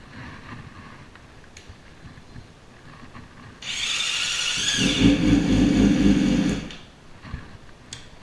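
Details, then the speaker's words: Yamaha R6 (2006-16) track bike after a left-side crash: harsh high-pitched gear whir for about three seconds as the starter cranks, though it still starts and runs; likely starter clutch idle gear out of place behind the left stator cover. "As you can see, it still starts and runs fine, but it doesn't sound how an R six should."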